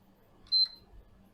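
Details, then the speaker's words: PS5 fat console gives a single short beep at the power button with no lights and no power-on, then quiet room hum; traced to a faulty SSD controller, fixed by reballing. "This console beeps without turning on. No lights. It's not powering on."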